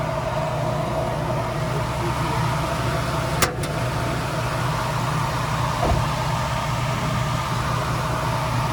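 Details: 1991 Toyota Land Cruiser HZJ75 with a 6.0 LS V8 swap, hood popped: deep, steady V8 idle with an even beat and only a couple of light clicks nearby; healthy normal idle.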